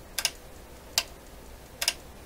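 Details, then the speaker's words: 1960s Montreal-made Emerson EH23A stereo console, on-off switch on the back of the treble control: sharp clicks, some a hesitant double snap with a delay; owner suspects a busted mechanical power switch. "You hear that little bit of a delay in the click? Doesn't bode well for the switch. So it could just simply be a busted switch."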